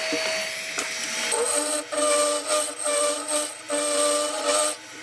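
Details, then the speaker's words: Lathe turning a yew-log goblet while a negative rake scraper smooths the inside: each pass brings a harsh, ringing buzz that cuts in and out with the cuts, showing heavy chatter from an unsupported workpiece. "still getting horrendous vibration here as you can hear from the [Music] [Music] sound"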